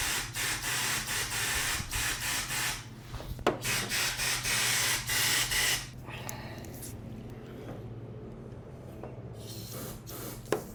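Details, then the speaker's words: Foxbody Mustang ('79 pace car) sunroof drains, which run through the A-pillar: short bursts of hissing air pass freely through all four holes, no gurgle or choking; drains not plugged. "So, I got sound out of all four of the holes. So, it looks like that they are not plugged up, which is excellent because those I guess just kind of destroy these cars because they run through the A-pillar."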